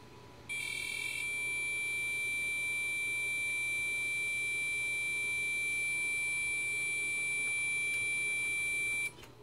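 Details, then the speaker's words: Gigabyte motherboard with Core 2 Quad, tried with two graphics cards, on power-up: one unbroken high beep for about eight and a half seconds, a continuous POST error code. "I don't know it still gives me the beep error code of long and"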